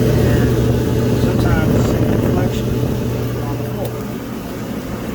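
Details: Whirlpool-family Bravos-style dryer, running during a no-start diagnosis with panels off and the heating element glowing: steady low hum with a soft, even tumbling rumble, no scraping or squeal; running normally.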